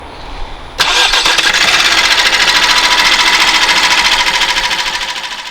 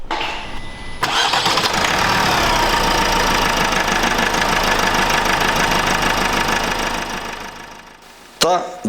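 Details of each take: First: Opel B16DTH diesel (Astra, Insignia, Mokka, Zafira, Meriva 2015-2021) on cold start settles into a fast metallic timing chain clatter; the cause may be a failing chain tensioner or a stretched chain, and further diagnosis is needed. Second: Opel B16DTH 1.6 diesel (2015-2021) after timing chain replacement, previously rattling chain: catches quickly and settles into steady, even idle with no chain rattle or knock.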